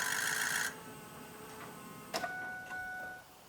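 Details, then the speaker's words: Ford 6.0 Powerstroke diesel at key-on, engine off, after fuel pressure was raised: a faint, steady electric whine in a quiet cab as the lift pump runs, now working harder, no leaks. Fuel lift pump running. "I can hear the lift pump running. I do not see any leaks. Yeah, that lift pump's working a lot harder now."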